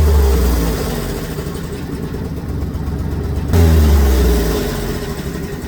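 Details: 2000 Ford F-250 with 4.2 engine, warm, no check-engine light: deep engine blips twice, exhaust beat stumbles unevenly and erratically; misfire suspected in cylinder number 1.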